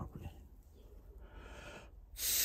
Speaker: look at the actual pin itself because you should better hear if i blow through it next to the microphone i'm going to blow through the boiler side and you should hear it escaping out there because it's not seen properly